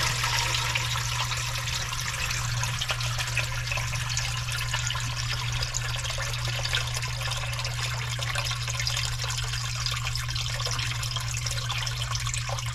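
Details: Commercial sewage ejector pump after repair, rotted galvanized discharge pipe replaced with PVC and Fernco couplings: steady low hum under a constant rush of water as the pit drains, no rattling or grinding; normal operation.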